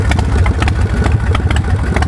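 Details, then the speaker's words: 2003 Swift Bar Chopper V-twin motorcycle with Vance & Hines exhaust: loud lumpy V-twin idle with even beat, no knocks, misses, smoking or engine noise; running normally. "No issues with that. Real good throttle response. No missing or smoking or engine noise or any of that stuff."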